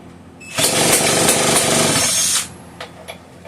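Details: One of three Homelite 150 chainsaws, fuel poured down carb throat and choke partly opened: loud raw unmuffled two-stroke buzz catches and screams about two seconds then cuts out, running briefly on primed fuel.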